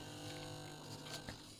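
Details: Steady, even mechanical buzz with a light hum and no hammering from a 1965 Brüel & Kjær 2305 tube level recorder pen drive plotting a 0.1 Hz sine after cleaning and oiling a sticking mechanism; running smoothly.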